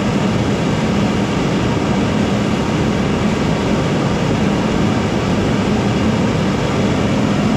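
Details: Furnace gas burner with its tube cut shorter and a better regulator fitted, started at about 5 psi and raised to 10 psi. Even, full roar with no surging or popping: steady flame, the earlier pulsating cured.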